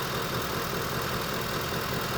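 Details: 2010 Ford F150 Lariat 5.4 L Triton V8, just bought, seller said oil changed every 4,000 miles with full synthetic: steady idle with a faint fast ticking knock running through it; cause unknown; engine knocking at idle.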